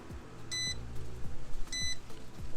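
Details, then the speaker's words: Car battery/alternator tester connected with its clamps reversed (positive and negative swapped), car off: two short high beeps about a second apart and the last light on the right lit, warning of wrong polarity. Reconnecting correctly fixes it. "Cuando hagan ese ruido y la luz última está prendida al lado derecho, quiere decir que están conectando mal los cables."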